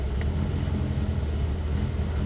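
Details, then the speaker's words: 1975 Toyota Corolla KE35 coupe idling, heard from inside the car: low, lumpy idle hunting up and down instead of holding steady; owner suspects air-fuel mixture, not confirmed. "this is this is idling you can see it's sort of trying to seek it's very like up down up down um and because of that I'm thinking it's air I think it's air fuel"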